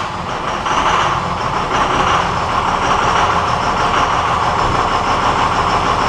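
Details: 1999 Cummins 24-valve diesel with a hard, long start and heavy white smoke, started on a battery charger. The diesel rumble builds as it catches, then holds an even, steady idle without stumbling or knocking; normal start.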